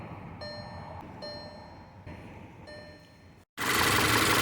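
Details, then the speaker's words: 2013 VW 2.0 TSI idling quietly and smoothly with no stumble under dashboard chimes after faulty ignition coils were replaced; the earlier misfire and violent shaking are gone and the check engine light no longer blinks. "okay now the engine is running very smooth right now smoothly with no problem two ignition coil plugs where the problem here"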